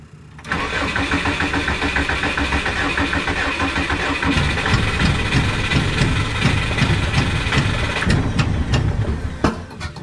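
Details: Subaru engine on tuned ECU, adjusting VE table, watched on laptop: steady starter cranking about ten seconds with uneven ragged firing attempts, never catching; no-start, fuel table suspected, not confirmed.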